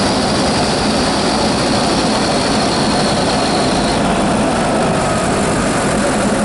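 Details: Vauxhall Insignia B 2.0 CDTi 170 diesel (68 plate) at idle: loud steady idle with a high thin squeal for the first few seconds; source unconfirmed, owner suspects turbo.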